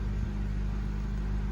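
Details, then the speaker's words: 2013 Honda Civic idling after spark plug replacement for a cylinder 1 misfire (P0301): low, steady engine hum with no stumble or vibration, a normal idle. "All right, let's start the car and see what's going on. There you go, guys. No vibration. Everything is well."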